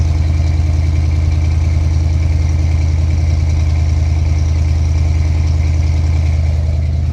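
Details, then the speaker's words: 1972 Chevy C20 V8 truck at cold idle: deep, loping idle with an uneven chop about twice a second, steady and strong, a healthy engine with an aggressive cam. "sounds pretty mean don't see this thing's got plenty of power"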